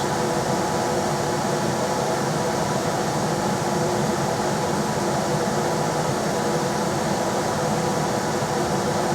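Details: Rheem RBH residential air handler after its squeaking, non-serviceable blower motor was replaced with a 1030 rpm motor (old one 825 rpm): on high there is a steady, even whoosh with a smooth hum and no rubbing, ticking or wobble. Normal blower running.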